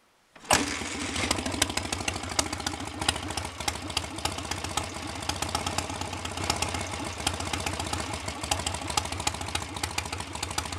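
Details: BSA A65 Spitfire Hornet twin after ignition timing was advanced, probably a couple of degrees, having previously hunted, raced or stalled: catches immediately and settles into a steady, regular tick over with even beats, no stumbling; acceptable and much improved.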